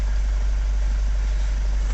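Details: Vauxhall Vivaro (same as Renault Trafic/Nissan Primastar) diesel van after clutch replacement: had crank no-start, oil pressure fault and no engine ECU communication; fixed by restoring the ECU power supply with a 30 A fuse; now deep, steady, even idle with no knocks or misses.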